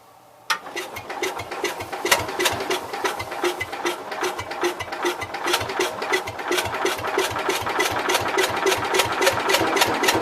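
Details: Cub Cadet 122 garden tractor cranking steadily at about three and a half chugs per second with no firing; it won't start. The owner suspects lost spark or leaking valves, possibly electrical trouble or a burnt mouse nest. The starter is getting hot.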